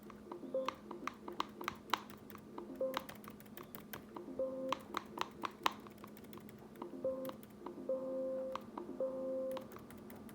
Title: Loud Popping Noises By Bad Speaker